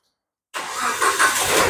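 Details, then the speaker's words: Second-generation Proton Saga VVT engine cranking briefly, then catching cleanly and settling into an even run; a normal, healthy start while the starter-circuit negative cut-off is being demonstrated. "Oke, sekarang engine tengah hidup, tengok RPM."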